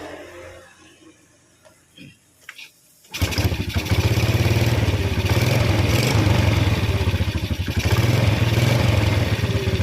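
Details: Yamaha Vega R motorcycle with light cranking and a suspected compression leak fires and idles unevenly, surging and sagging and dying when revved; valve clearance too tight from carbon buildup and overheating.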